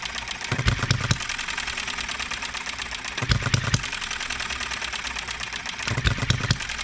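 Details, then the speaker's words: Enjomor 6cc hit-and-miss model engine on a cart, first run since the last video: pops in uneven clusters with long gaps, hiccuping instead of a steady beat. Owner suspects ignition timing needs adjusting. "all right let's fire it back up if it'll start we might have to adjust the timing still hiccups once in a while don't it"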